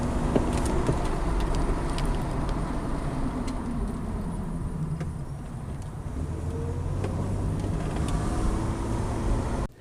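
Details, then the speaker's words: 2006 Pontiac G6 with electric power steering: loud popping and knocking when the steering wheel is barely turned, heard through road noise; bad intermediate steering shaft, fixed by replacing the shaft (about 1 hour labor); one shop had suggested control arms. "we had a problem earlier when we just barely turned our wheel there is a loud popping and knocking sound kind of like these examples"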